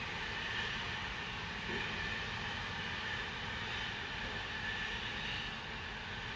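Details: Continuous distant hiss with faint high tone over low rumble; Spooner Industries, Ilkley, 6 April 2021, 8.45am, recorded within a neighbouring property boundary, audible over 100m away; continuous venting, cause unknown.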